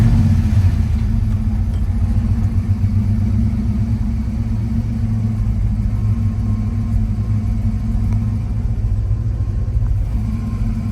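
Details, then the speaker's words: Ford Fox-body Mustang SSP 5.0 V8 idling after the no-start cause was found: a deep, smooth, even rumble with no stumbles, shaking, ticks or knocks, quiet and healthy. "it's running smooth it's not shaking other than what I would consider normal no weird noises pretty quiet"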